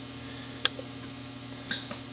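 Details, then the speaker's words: Volkswagen, key on engine off, secondary air valve actuated via scan-tool component test: a few sharp separate clicks under the hood over steady electrical hum; normal secondary air valve operation. "there's my secondary air you can hear it clicking under there so it's doing what it's supposed to do"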